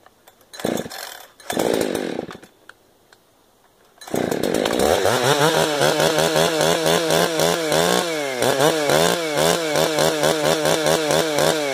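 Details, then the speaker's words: 455 chainsaw with rebuilt carburetor, limiters off, high-speed screw about one full turn out: revs hard and burbles unevenly at full throttle instead of screaming clean; bad four-stroking, rich high-speed mixture, high jet to be leaned. "I runs pretty good there they're not no hesitation off idle much hold a really bad for stroke right there so we will go sit our hi little bit up quite a bit"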